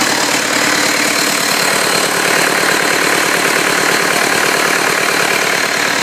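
Steady diesel idle with an even, brisk clatter and no stray knocks or misses; sounds like a healthy running engine.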